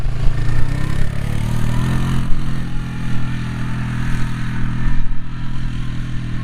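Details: Polaris Magnum 325 single-cylinder ATV that was starving for fuel, running lean and backfiring, now with the correct air cleaner fitted, on a test ride. Thumps cleanly as the throttle rises and falls, picks up without stumbling or popping; running normally.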